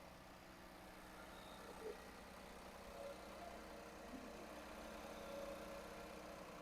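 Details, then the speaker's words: 2018 Infiniti Q50 after timing chain job with new guides, tensioners and sprocket, fresh oil, first start: quiet, steady idle with even low rumble, earlier loud chain noise gone; normal healthy idle. "Sounds great. Actually, there's no more noise."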